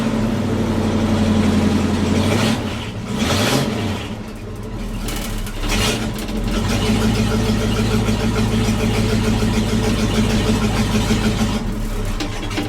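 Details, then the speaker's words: K30 fire truck with no mufflers fitted, cranked and started before new mufflers go on: loud, raw, unmuffled bark, a deep uneven rumble rising and falling with revs. Open exhaust without mufflers. "let's crank it up see how it sounds with no mufflers and then we'll put mufflers on it and see how it sounds"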